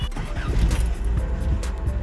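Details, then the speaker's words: 1976 Toyota Celica RA24, just started cold after engine bay work: rough, uneven, stumbling idle misfiring under background music, smoothing out as it needs to warm up. "there we go oh yeah definitely misfiring oh no we're good just need to warm up"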